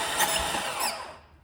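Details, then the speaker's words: 2005 Lexus ES330 that stopped running while driving, cranked during a compression test: a fast, even spin with no compression pulses, under 30 psi on the first cylinders. Owner suspects the timing belt jumped or a head gasket failed. "it's not even 30 PSI [Music] no compression there"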